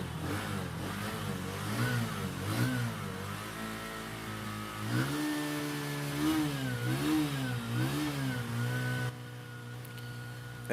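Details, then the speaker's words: Bajaj CT125 motorcycle that stalled on the road and wouldn't restart, loose compression, after being kick-started with a flooded spark plug: engine fires and holds, throttle blips rise and fall smoothly, revs pick up cleanly with no misfire; kept revved high to avoid stalling. "Tulad nito kapagka umandar na kailangan medyo mataas yung RPM natin medyo gigil dapat para kasi pag namatay uli yan mahirap na uling paandarin"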